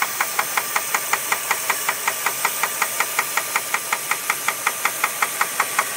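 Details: 2001 Jeep Grand Cherokee 4.7 at idle: sharp, light metallic knock repeating steadily about 2.7 times a second; owner asks whether rod knock or something else, not confirmed.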